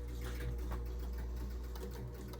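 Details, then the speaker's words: Gottlieb North Star pinball machine with reported score motor run-on: after pressing start, steady whirring with low mains hum and light ticking as motor keeps cycling; score reels not resetting, cause not yet found. "So, the scores are not resetting. That's probably not such a big deal."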